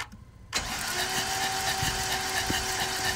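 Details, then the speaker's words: Jeep Grand Cherokee 5.7 HEMI during teardown, compression test while cranking: uneven, lopsided starter rhythm at about four beats a second; cylinder 8 has zero compression and holds no leak-down pressure, cylinder 7 low leak-down; nothing wrong found under right valve cover. "so here we are we had the number eight had zero compression and i had zero on the leak down had it wouldn't hold any pressure and leak down"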